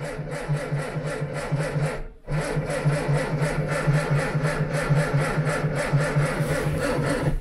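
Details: Old Ford Anglia cranking at roughly one even pulse a second, pausing and cranking again, but never firing or catching: cranks but won't start.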